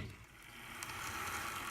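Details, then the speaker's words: Athearn U25B Chessie System model locomotive on test track after repair: faint, steady light whir from motor and gears, no grinding; much quieter than before, earlier grinding noise fixed. "Okay, it's definitely much quieter than it was not that long ago. It runs smoothly."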